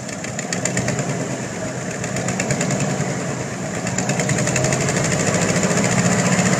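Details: 1992 Ford Bronco V8 at idle, Edelbrock Performer 3881 just fitted, Summit Racing shorty headers installed years earlier: sharp quick ticking in time with idle over low rumble; owner suspects exhaust leak at headers, not confirmed.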